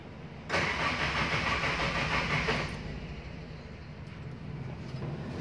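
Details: Toyota Tamaraw FX gasoline engine, in neutral with a charged battery: starter churns steadily about two seconds and never fires; crank no start.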